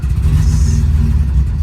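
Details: 50-year-old air-cooled Porsche 911 flat-six, project car's first start attempt: low, uneven burbling with a short blip of revs; engine firing and running.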